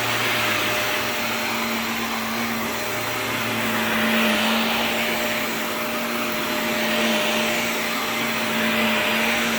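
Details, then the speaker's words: Shark NV355 vacuum after motor main pod replacement: steady high-pitched rushing whine over a constant hum; somewhat strange wind-down sound, but the motor works normally. "kind of a strange motor wind down sound but works huh but hey it works"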